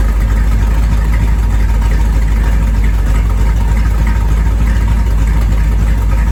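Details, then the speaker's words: 1973 Corvette small-block V8, first drive in 5 years: deep steady rumble with even lope, no knocks or misses; normal healthy idle. "Hey, I put in some sound at the end of this video. Watch for that. It sounds pretty great."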